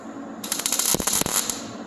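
Short crisp crackling bursts of frying sizzle, evenly spaced, each stopping cleanly; steady MIG tacks with good settings and technique.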